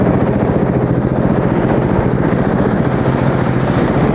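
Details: Small engine on track sled, first test start after gas tank, wiring fix and exhaust fitted: steady, even low putter with regular firing, no knocks or misses; healthy runner.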